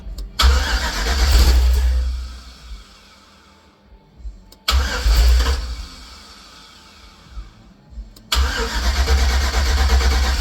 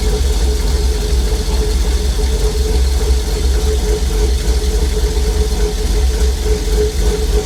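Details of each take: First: Heavily customized 1950 Chevy cabover with LS swap cranks but won't start: three long bursts of low starter churning with faint catches; VATS vehicle anti-theft system suspected still blocking start, to be deleted from computer memory. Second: 1950 Chevy cabover, LS-swapped V8, first start after VATS anti-theft delete: deep steady idle, even low rumble and constant hum, no knocks or misses, runs healthy; oil pressure gauge maxed at 130 PSI, sensor suspected bad.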